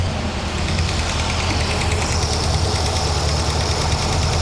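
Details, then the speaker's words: Toyota brought down to idle: quick, light clicking keeping pace with engine speed, worsening each drive; suspected exhaust manifold leak, clacking valve, or both; ticking at idle, source undetermined. "I'm going to bring the idle down now. Now you hear the clicky clacky. That is either exhaust manifold leak, u clacking valve, or a combination of the two."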